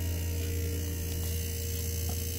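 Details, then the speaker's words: Aquahot 450D heating system after coolant level sensor upgrade and air bled via Schrader valve: pump gives a low steady even hum with no swishing, running normally. "I don't hear no swishing around so she's doing good"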